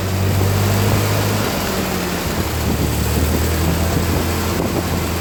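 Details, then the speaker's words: 1948 Ford 8N tractor after rebuild with alternator and new fan belt: started first press, steady low four-cylinder chug with light even pulse, no knocks or misses; runs smoothly, ignition timing and carburetor not yet fine-tuned. "perfect okay well i guess we'll call out a success it started the first time i hit the button it's running"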